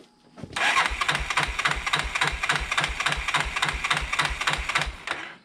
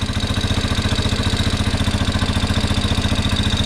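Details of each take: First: Fire-burned 1987 Yamaha Big Bear 350 4x4 ATV on an undersized battery, in neutral: the starter churns in steady bursts of roughly three and a half compression pulses a second but never catches. Crank, no start, no spark; a corroded coil ground wire was found. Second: 1987 Yamaha Big Bear 350cc 4x4 fire-burned parts quad, uncleaned carb, no airbox with straight pod filter (owner suspects lean), on choke: steady even single-cylinder thump, no knocks or misses; motor sounds good, normal idle.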